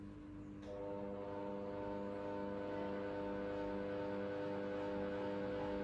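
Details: KDK ceiling fan (models V60WK, V56VK, R56SV, Z60WS, K14Z9, K15Z9, K14Y2; Panasonic equivalents) making a steady, buzzy motor hum with several fixed tones; suspected weak capacitor, fix is replacing it with a 1.8uF 500VAC capacitor.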